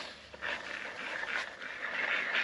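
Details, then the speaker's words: Bosch Gen 2 e-bike motor spun freely by hand: a gritty, rough, high-pitched whirring from worn bearings; the felt seal can draw water into the motor; noisy motor needing bearing replacement. "so this is this is basically what a noisy motor sounds like"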